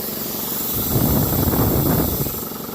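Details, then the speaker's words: Campbell Hausfeld air compressor, previously seized from water damage and now cleaned up. It thumps away building pressure with a steady hiss of escaping air; a bad pressure relief (blow-off) valve is leaking and needs replacing. "Oh, it's coming from right here. It's got a It's got a bad blowoff valve. I need to get a new one of those."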